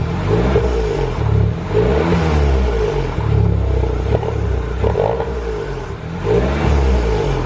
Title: Barulho estranho no motor THP